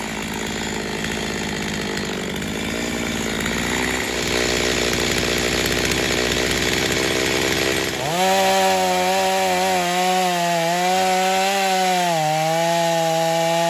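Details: Stihl MS250 chainsaw test cutting wood after carb repair, tuned pretty rich for break-in, compression possibly a little low: buzzes hard through the cut, then revs clean to a high steady scream; slightly rich but healthy cutting.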